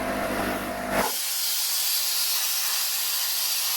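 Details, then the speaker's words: Trash-picked air compressor first plugged in: brief motor hum then a loud steady hiss of air escaping around a very loose fitting; owner suspects it can't build pressure because of the leak. "So it's definitely leaking air from around one of these. Oh, that's just like super loose. That shouldn't be that loose."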